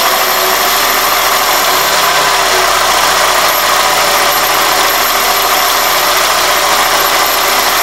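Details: 2001 Toyota Corolla idling with a thin, steady high-pitched whistle that turns intermittent on throttle blips; it persisted with the belt and IAC removed; fixed by cleaning the dirty throttle plate and IAC and installing new gaskets.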